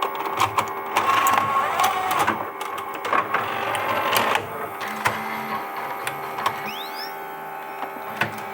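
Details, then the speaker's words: Sony DHR-1000B DV deck after swapping the failed tape mechanism: even motor whir, light clicks and faint steady tone as tape loads; transport runs smoothly and sounds healthy. "Ouais, ça a l'air de fonctionner. Je suis un peu rassuré."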